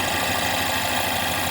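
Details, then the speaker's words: 2016 Ford Mustang 2.3L EcoBoost, replacement engine with reused intake and turbo, 128,572 miles, check-engine light flashing: steady hiss over rough shaking idle with faint low knocking; air leak at cracked turbo inlet pipe. "It's got a crack in it, which is this pipe. They reuse the intake, they reuse the turbo. You can hear that."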